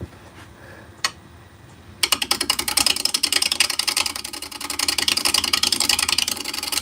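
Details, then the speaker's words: Wood lathe (Laguna 12/16) turning an out-of-round blank with a gouge: sharp, rapid, uneven thump-thump tapping as the tool cuts wood for half of each turn and air for the rest; interrupted cut. "All right, it's making all that noise because for half of this we're cutting air. Again, cutting air means as you can see I'm hitting cutting right there. Well, yeah, cutting right there and then cutting nothing until it hits the wood again. That's why it's making that thump thump thump kind of noise."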